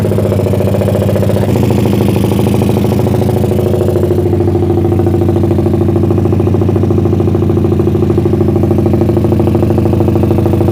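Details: Suzuki Satria FU bored to about 177 cc with lowered compression, PWK 30 carburetor, pilot jet 50, main jet 150, cam timing unchanged: steady, unbroken idle with a smooth humming beat, no misses; healthy idle.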